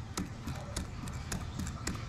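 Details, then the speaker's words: Bench check of a warped Honda aluminium cylinder head: a known-straight camshaft rocked by hand in the out-of-flat journals gives quick metallic clunks, three or four a second; with caps tightened it would not rotate. "that it just rocks around. So in this current condition of this cylinder head, if you were to put the caps on and assemble this and tighten the caps all down, this camshaft would not rotate, and if it did, you would be forcing it."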